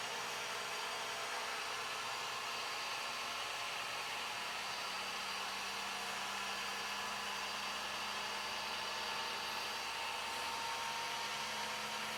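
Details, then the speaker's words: New Flashforge Adventurer 5M 3D printer during its vibration calibration: a steady high whirring hiss with a fine buzz underneath. The owner suspects an out-of-balance fan, though the fan had earlier run smoothly. "pretty soon it's so fast you can't even see it you can just hear it as a buzzing"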